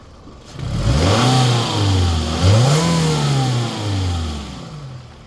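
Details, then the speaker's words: 2005 Toyota Camry with a previously replaced engine, revved under the open hood: pitch climbs cleanly and settles smoothly with no knock, miss or smoke, a healthy engine. "Engine sounds good. No smoke."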